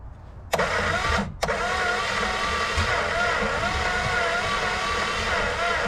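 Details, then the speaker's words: 1962 Plymouth Valiant Slant Six that had not run for months: it cranks and catches, running ragged and sputtering for a few seconds without keeping running; bad spark plugs suspected. "all right it's hitting I hear it you just don't go"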